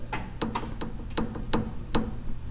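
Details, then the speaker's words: Dodge Dakota 2WD, truck on a lift, intermediate steering shaft joint rocked by hand: sharp, irregular metallic clicks from a worn U-joint causing the steering column clunk and chatter; shaft to be replaced with an aftermarket unit. "hear that click that's where the rattle is coming out of mine"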